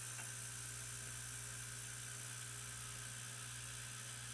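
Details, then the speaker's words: Hudy tire truer motor as the feed screw is backed out to take a cut on an RC tire: steady high whir with grinding hiss, pitch sagging slightly under the cut; normal loading until the pass finishes. "so we're going to back this out just a little bit so you hear the tone change of the motor you can hear it just changes slightly and we're going to take a take a nice cut off of there and just let it grind"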